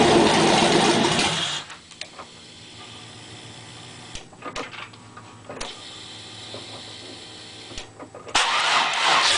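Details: LT1 350 V8 with a vacuum leak after the MAF sensor: repeated cranking bursts where the engine catches briefly, stumbles and dies; once the leak was plugged it stayed running strong.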